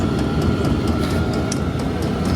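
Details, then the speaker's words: Hcalory diesel heater running in a home test: steady fan hum, thin constant tone and light regular pump ticking about four per second, blowing hot air with little visible exhaust; normal running. "if you can hear the ticking it's blowing out some nice hot air um Myck door down but if you see there ain't a lot of exhaust"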